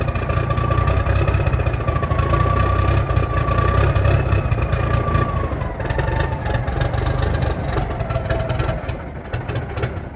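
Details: 1987 cabover truck diesel just brought back after years sitting, cold start, idling: deep, steady clatter with a faint whistle, even and with no knocks. Oil pressure about 40; healthy normal idle.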